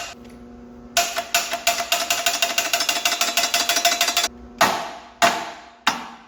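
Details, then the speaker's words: Cummins diesel truck engine after catastrophic failure, attempting compression test with batteries and 200 amps from Snap-on jump pack: rapid metallic clatter about six per second, then single heavy clunks; starter engages but cannot turn engine. "This thing is fighting. Like, I have the jump pack on it. Sorry, the I have batteries on it and I have 200 amps of Snap-on."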